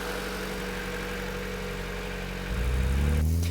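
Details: Honda CRX VTEC with only 1,400 km, mechanical restoration finished, idling after start-up: smooth, steady low idle hum with an even pulse, then a brief rev climbing cleanly; engine runs healthy.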